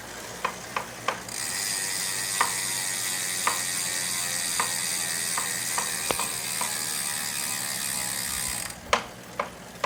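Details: Saris H3 smart bike trainer whirring at speed with a sharp knock roughly once a second; unit was sent back to the maker and repaired.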